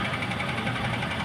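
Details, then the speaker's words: Maruti Ertiga petrol after the left front strut top bearing was replaced: engine idling while the steering is turned both ways. Even running with no knock or creak from the strut; the earlier suspension noise is gone. "चलो अब कोई आवाज नहीं है ना shocker में"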